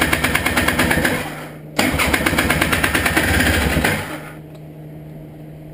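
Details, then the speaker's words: Honda Odyssey FL350 buggy after a carburetor clean of clogged main and slow jets; two-stroke pops and rattles in uneven bursts, catches briefly then fades out. The owner says it seems almost flooded. Hard starting, cause unconfirmed. "is almost it is almost like it's flooded"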